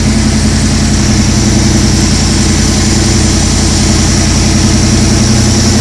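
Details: 2004 Jeep Unlimited with a 2010 5.7 VVT HEMI from a RAM, 545RFE automatic, modified JBA shorty headers: cold start shows a deep, even V8 burble at a raised idle with no knocks or misses. This is the normal VVT high idle for about 30 s before the computer drops it to standard idle.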